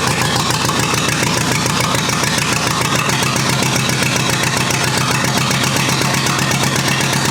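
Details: Rebuilt U23 engine on its very first start in 25 years, fired almost immediately, non-original carburetor still needing adjustment: loud, steady idle, even beat about two per second, no knocks or misses; running smoothly, no leaks.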